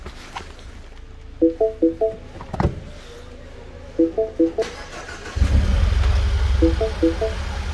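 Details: 2012 Mini Cooper with a crank-no-start complaint, starting after terminal 50 start feed power is restored; warning chimes, then engine catches and settles into a steady low idle; engine starts normally.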